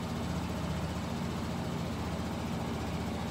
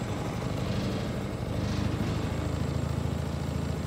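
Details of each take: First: Kymco Bet and Win 250 scooter project after carburetor cleaning and idle screw turned up; quiet, even single-cylinder hum with no stumbles or surging; normal idle. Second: A Kymco Bet and Win 250 project scooter idles as a single-cylinder with a rough, uneven low putter. It gradually slows as the idle adjustment screw is turned down.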